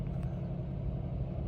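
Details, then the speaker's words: 2017 Chrysler 300S, 3.6L Pentastar, after a spark plug change, cold start: a low, smooth, even rumble with no ticking, misses or hunting. Idle started near 1500 rpm and is dropping toward below 1000 as the engine warms, with no check engine light; normal warm-up. "Et puis là, ben, au fur et à mesure que la voiture se réchauffe, le RPM devrait descendre en bas de 1000. Vous voyez, il commence à descendre, là. C'est bon signe."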